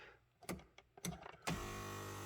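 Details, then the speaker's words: 2016 Mazda CX-5 front power seat after replacing part TK81-88-0D1: a few handling clicks, then a smooth, steady motor hum with no screech. Fixed. "Man, that's so much better."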